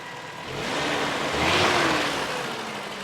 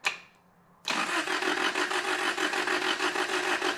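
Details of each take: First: 1993 Toyota pickup, 22RE engine with 5-speed manual, 2WD base truck, after moving the distributor one tooth. Started up and now idles evenly with a smooth hiss that swells briefly and settles, no knocks or misses; normal idle. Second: 1993 Toyota pickup 22RE, starter jumped: about four seconds of quick, even cranking that never fires; ignition timing off, distributor first turned 180 degrees then still a tooth off; cranks but won't start.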